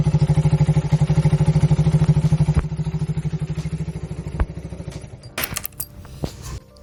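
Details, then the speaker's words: A 2008 Suzuki Satria FU 150 that sat three years without starting, first run after a full engine overhaul in 17 years (43 km on the fitted speedometer). It has an even, regular thumping idle of about three beats a second, with no knocks or misses, and runs smoothly. "Ya suaranya kita denger tadi ya, lumayan halus lah ya."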